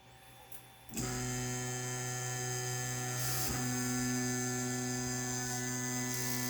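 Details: Brand-new Ender 5 Plus 3D printer with loud X and Y axis noise, worked on with support for two weeks. A loud, steady buzzing hum with several clear tones starts as the axes move and holds; cause unclear.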